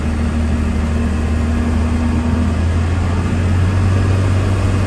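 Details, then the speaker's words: 1993 Dodge Ram W-350 one-ton 4x4, 12-valve 5.9 Cummins diesel, 51k miles, automatic four-speed, accelerating uphill: deep steady drone with one smooth shift, no flare or thump; transmission shifts cleanly gear to gear, drivetrain normal. "this truck runs and drives like you might imagine one ton first gym with only 51 000 miles on a wood transmission not a problem at all should be one gear to the next has no issues at all"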